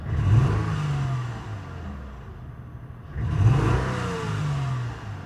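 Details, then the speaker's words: 2003 Acura TL Type S 3.2L with P0301, P0302, P0304, P0300 codes: two throttle snaps, revs stumble unevenly; misfire, caused by one dead cylinder. "it's an obvious misfire as I snapped a throttle you can hear an obvious misfire going on"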